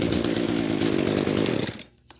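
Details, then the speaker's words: Echo SRM-210 string trimmer, first run right after a Zama carburetor rebuild: a low, unsteady idle that sags and quits in under two seconds. Idle speed set too low, to be fixed by turning in the carburetor idle screw. "is running a little bit kind of funny because it's running the the idle kind of sounds like a little bit too low it's idling a little bit too low"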